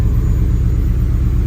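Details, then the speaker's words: 1971 Ford F100 XLT Ranger with 6R80 transmission, after torque converter repair, engine temperature still cold, good oil pressure, about 35°F: low, steady, even rumble with no knocks or misses; idles smoothly while warming. "But man, this is purring like a kitten. Let's just pull these lights on. Everything's sounding good."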